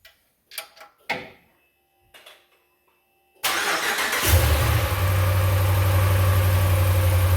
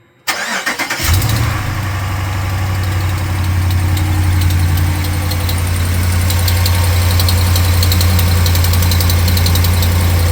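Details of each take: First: 2018 Ram 1500 5.7 Gen III Hemi V8 after replacing exhaust manifolds with an aftermarket kit and removing a broken manifold bolt: cranks briefly, settles into a smooth even idle, no ticking or puffing; exhaust leak fixed. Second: 2018 Ram 1500 5.7 Gen III Hemi V8 starting and idling: quick steady tick over the rumble from the passenger side, resembling valvetrain noise but thought to be an exhaust manifold leak with a broken manifold bolt; fixed with a new manifold kit.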